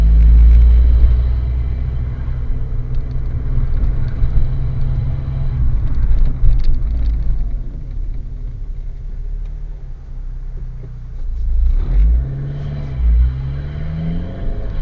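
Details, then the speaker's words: Car on a mock driving test, slowing on an uphill without changing down: a low, shuddering rumble at very low revs that rattles without picking up; the engine is labouring in too high a gear. "And planning fault here. He slows down, moves over well, but he forgets to down change the gear, and as you can hear, the car's rattling away. Because of it being on an uphill, it makes it even more noticeable."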